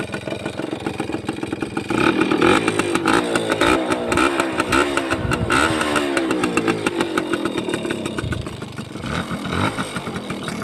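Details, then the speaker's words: Used Suzuki Crystal two-stroke, manual-start version, which rode normally; the idle is normal with the engine slightly loud, and a crisp buzz rises and falls with the throttle with no knocks or rattles, pulling cleanly. "เสือร้องฟังเสียงเครื่องกะดูนะครับคลิปนี้ไปเร็วๆเลยเดินเบาปกตินะครับมีเสียงเครื่องดังนิดหน่อยนะครับ"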